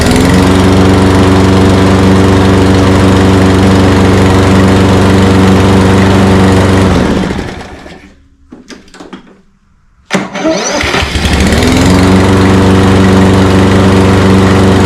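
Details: Toro Personal Pace 22-inch electric-start self-propelled mower after new fuse holder and battery and cleaning a dirt-clogged starter drive: runs smooth and even at steady speed, shuts down and restarts cleanly; healthy.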